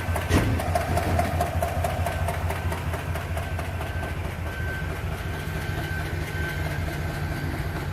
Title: 2021 TAHOE, YUKON Engine malfunction lamp on. Misfire dtc and ticking noise.